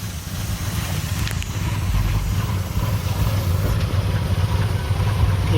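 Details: 2002 Chevy Impala 3.4 with code P0300 random misfire, runs very rough: low, lumpy, uneven idle with stumbling beat; cylinders 3 and 6 suspected, coils known to fail, wires possibly partly replaced.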